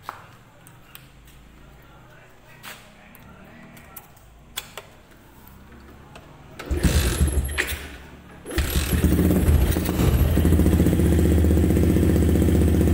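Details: Yamaha Jupiter MX after block/bore (piston) repair for smoking and rough, noisy engine, test-ridden a day: quiet, then it fires and settles into a steady, even idle of about four beats a second, healthy.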